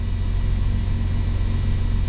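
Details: 1991 Jeep Cherokee Briarwood after replacing the dead alternator, gauge showing about 14 volts: steady, even low rumble at idle with no knocks, ticks or whine; runs smoothly and healthy.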